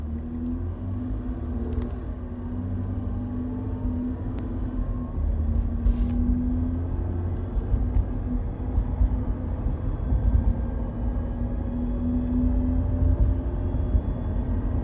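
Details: 2017 Toyota Highlander XLE accelerating: thin whine climbing in pitch with speed over road rumble; owner suspects transmission failure; whine under acceleration.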